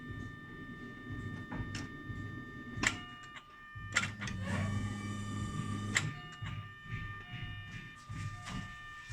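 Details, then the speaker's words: Chevrolet Lacetti, new fuel pump assembly installed in car; quiet steady electric pump whine with some clicks and knocks, some air still in system; relief valve vents, holding about 3.5 atmospheres, normal operation. "Короче, суть ви поняли уже, ее, стравлює сам клапан. То есть 3,5 атмосфери тримається."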